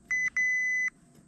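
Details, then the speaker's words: Honda Accord clutch safety switch tested with multimeter, clutch not depressed: two short high beeps then longer steady tone around 2 kHz; continuity reading, circuit closed. "So this one should have continuity. Y'all hear that? No matter which one I touch"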